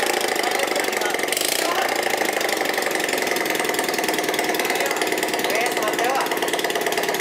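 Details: Bajaj Platina motorcycle running without silencer during engine repair: loud raspy open-exhaust idle with a harsh rattly edge over the beat; abnormal engine noise, cause unclear.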